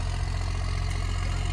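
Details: 1997 Dodge Ram 2500 4x4, 5.9 12-valve Cummins diesel, just started after sitting a year: deep, steady idle with an even low beat and no knocks or misses, oil pressure good; normal settled idle.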